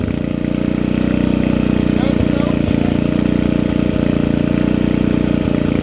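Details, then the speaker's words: Old vintage generator, just started on choke with the air filter off: steady, even idle thump of about four beats a second with no misses; running normally. "I can't believe this thing just fired up like that either. I didn't expect that to happen."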